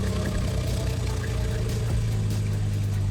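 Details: Engine started after replacing a dirty fuel filter and priming the fuel system by cycling the key three or four times catches and settles into a steady, low idle with no stumbling or hunting; running smooth.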